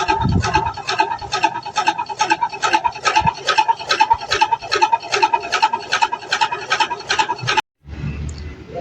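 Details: LG inverter washing machine during spin: rhythmic raspy scraping about two and a half times a second, in step with drum turns; a foreign object is trapped between drum and tub.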